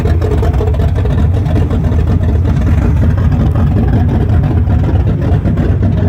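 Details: 1974 Chrysler Newport, slightly tuned 440 V8 with open headers, first start after rebuild with new bearings: loud, deep, even rumble with steady firing beat, no knocks or ticks; normal running.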